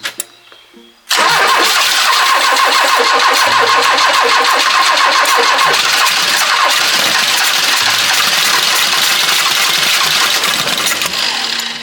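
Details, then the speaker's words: 40-year-old Ford Fiesta XR2 off the road 25 years, new timing belt and fresh fuel: cranks and catches only with throttle mashed, loud ragged rev; hard starting traced to worn spark plugs. "that was the closest one yet. Okay, wait, so it does not want to start unless you mash the throttle, right?"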